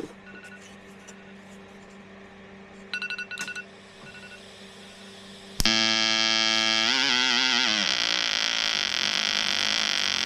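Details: EWM Tetrix XQ 230 Puls AC/DC Expert 3.0 TIG welder, pulsed, rigid curve mode, fairly aggressive: arc strikes with crisp buzzing hiss pulsing evenly about four times a second; amperage lowered once the workpiece is hot. Stable arc.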